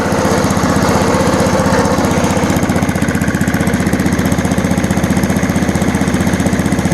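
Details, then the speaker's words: 1987 Snapper push mower with Briggs & Stratton engine (date code Sept 3 1987), choke-start, no primer bulb; returned to idle after starting. Even steady single-cylinder beat about four pulses a second, no misses; runs great. "Runs great."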